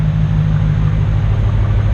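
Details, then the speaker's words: Ram truck (2009-2015/16) with factory dual exhaust, just fitted with bolt-on Carven muffler replacement kit: deep, smooth, even idle rumble, no rattles, ticks or exhaust leaks; sounds good after install. "That sounds real good. Now I just want to crawl underneath here, make sure we don't have any air leaks."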